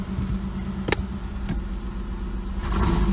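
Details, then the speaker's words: Oldsmobile Ciera wagon after mass airflow assembly work, being revved to burn off carbon: uneven sharp pops every second or so instead of smooth rise; misfire persists, owner hopes carbon. "ah you bastard still missing again that could just be I just pulled a muscle in my leg could just be that it's still burning the the carbon out being optimistic"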